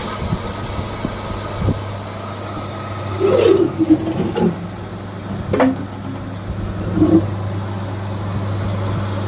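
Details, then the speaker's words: Orient water cooler after repair of its completely rusted body, with the motor section, water pipeline and back cover refitted, running: steady low motor hum under a few handling thumps, no grinding or rattle; running normally. "अब चलिए हम इस cooler को चालू करके देखते हैं। तो देखिए कूलर चालू हो चुका है।"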